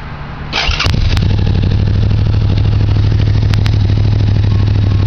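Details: Suzuki Gladius with Two Brothers exhaust: engine starts and settles into a deep, steady idle with a few sharp pops and crackles from the exhaust; cause of the crackling unknown.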